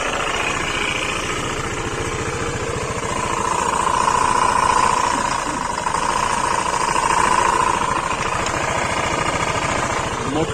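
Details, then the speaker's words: 2021 Honda PCX ABS scooter at 40,000 km, previously serviced elsewhere, idling: rough pulsing rattle and whining tone near 1 kHz from the variator (CVT) area; front and rear variator to be removed for diagnosis. "Bir bakalım oradan bir varyatör kısmından bir ses geliyor ona bakacağız"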